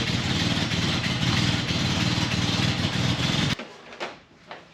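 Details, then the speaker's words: Toyota Land Cruiser FJ55 after fitting an HEI distributor. Even, regular running for a few seconds then shut off, no misfire or knock; a slight hiccup at start believed due to cold engine. "mean it sounds I agree it sounds good yeah it sounds like it's happy I mean it's still got that hiccup right at the beginning um but I think that's just because it's not warmed up"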